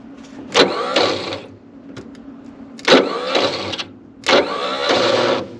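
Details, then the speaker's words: 1960 Chevrolet C-10 inline-six auction truck, untouched, cranked with makeshift battery cables: three even bursts of about 1.5 seconds each with no firing. It turns over but won't start and does not sound healthy; a rebuild kit is planned. "she does not remotely sound healthy let's get the rebuild kit after her rebuilt she doesn't sound real happy"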